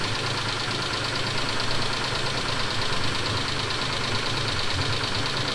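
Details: 2000 Mitsubishi Montero Sport, 6G72 V6 petrol, cold start at idle in a garage: fast, steady light knock from the top or side of the engine, not like hydraulic lifters, lasting 3-4 minutes then stopping; cause unknown.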